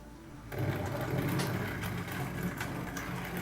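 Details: Tri-ang Railways Class 101 DMU 00 gauge model train motor on low power. A steady buzzy whirr with a rough, gritty grinding edge, alongside a metallic smell. The motor grinds at low power, cause not yet investigated.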